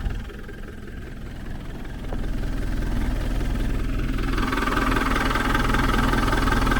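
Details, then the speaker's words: 1991 Land Rover Defender 110 diesel with 330,000 miles on the Canning Stock Route, after refitting the alternator; the fan belt had been catching every so often. Now an even, steady idle with revs rising smoothly, sounding better. "Oh. That sounds better."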